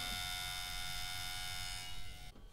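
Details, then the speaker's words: 1994 Compaq LTE Elite 4/75 CXL 486 notebook floppy drive: a loud, steady electrical buzz with a high whine and no spinning sound. The disc is not turning and the drive is faulty. "so I opened up the machine and the floppy drive again and clearly it's not working because the disc is not spinning"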